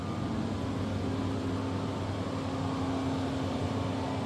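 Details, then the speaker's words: Tesla Model 3 heating up: steady whirring with an even mid-low hum, no knocks or surges, heat pump and fans running loudly during warm-up; normal. "ah and they say Teslas aren't loud yeah they make noise look how loud this thing is it's crazy this thing's heating up right now"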